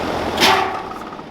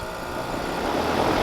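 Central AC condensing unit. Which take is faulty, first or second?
first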